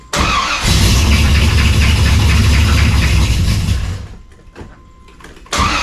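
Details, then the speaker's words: Cold V8 fires up and settles into a lumpy, uneven idle with a deep rumble; firing order checked fine, owner thinks a lifter had bled down, sounding slightly better but needs heat, fans not yet hooked up. "I think it was just one of the lifters must have bled down. She sounds a little better. It's going to take a little time to get some heat in her and get her going again."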